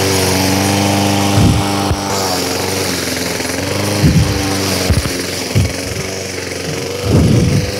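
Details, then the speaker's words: Repaired Craftsman lawn mower, previously vibrating badly, cutting grass: even, steady engine hum with brief surges at each bite of grass, recovering at once; cutting normally. "Now we are going to cut those little pieces [Music] it is cutting super well"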